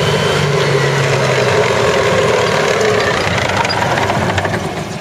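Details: CVR(T) Striker FV102 Swingfire tank, August 2010: rough, uneven engine beat with irregular stumbles and dropouts over a heavy drone; misfiring badly, caused by a stuck valve; engine later replaced.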